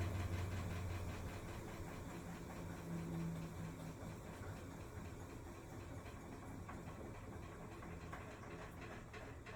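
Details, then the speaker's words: Maytag MVWP575GW commercial top-load washer in service-menu test, draining and spinning normally with a steady motor hum and even churn, after motor, belt, drive clutch pulley, actuator and control board were replaced; clicking persists elsewhere, suspected splutch or actuator. "know everything else it does perfectly fine it will drain and then spin"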